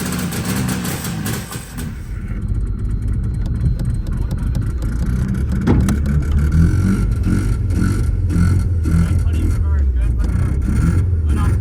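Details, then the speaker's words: 1985 Mazda RX7 rotary, first run on its own in 30 years, under throttle: revs surge high and bog; owner blames a vacuum leak, leftover bad fuel and far too much premix oil in the fuel. "I wanted to get on here and explain a little bit the reason why the car is running so rough one we have a vacuum leak two there is still some bad fuel mixed in three whenever I did my fuel mixture I put in way too much oil mixture so that is my fault"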